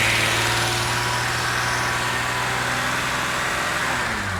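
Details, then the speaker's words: BMW 330i after reseating the cylinder five coil plug: held smoothly around 2,500 rpm and drops back cleanly with no stumbles or pops; smooth revving, no misfire. "the 2 and 1/2k there that's not misfiring now that is it I think it was number five like the the plug wasn't on properly"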